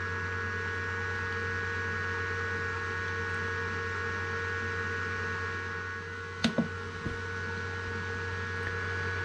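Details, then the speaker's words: Power station/solar generator after replacing the blown 20 A 250 V PCB fuse, charging on AC at about 1,000 W: steady even fan rush over a low hum, no rattles, surges or clicks; normal charging with cooling fans running. "Let that run for a little bit just to make sure there's no other issues. Charging at 1,000 watts about. Fans going strong."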